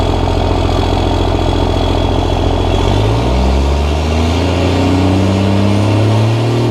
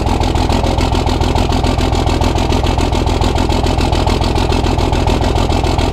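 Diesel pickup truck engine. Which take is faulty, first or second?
second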